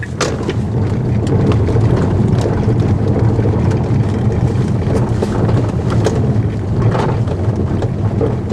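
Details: Tesla Model S, microphone on the rear seat while driving: irregular sharp clicks and taps from the rear cabin over heavy low road rumble, a loose interior trim panel rattling, suspected trunk-area trim.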